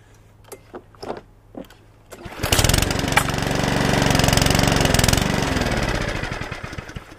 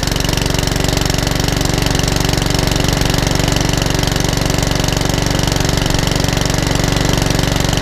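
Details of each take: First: Mountfield 414 push mower with RS100 engine, missing parts, fresh petrol: after pull-cord tugs it starts but revs swell and sag instead of holding steady, hunting/surging; carburettor issue suspected, not confirmed. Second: Mountfield 414 HP mower, which came in hunting and surging with a suspected carburetor issue, test-run outside after the repair; fast, even single-cylinder firing at a constant pitch with no hunting, and the owner is unsure the oil level is sufficient.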